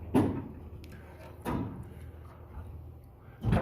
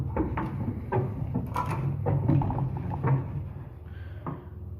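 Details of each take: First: Old Armor two-speed door after one hanger roller was replaced, the other not yet done: travels quietly with soft thuds at each end of the stroke, no rumble or grinding, apart from a slight nick from a rivet; far better. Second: Old Armor two-speed door, before roller replacement: uneven rumbling and rattling bursts with a rough low growl each time the door slides; worn hanger rollers, the rear one sounding much worse.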